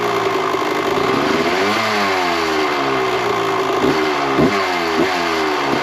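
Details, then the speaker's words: 1998 Kawasaki KX125 two-stroke after carburetor re-jetting, idle screw turned out to lower idle: crisp idle picking up cleanly on blips and dropping back steady; runs healthy, considered dialed in; normal idle and revving. "Everything, it sounds good, runs good. So I think we've got it pretty much dialed in."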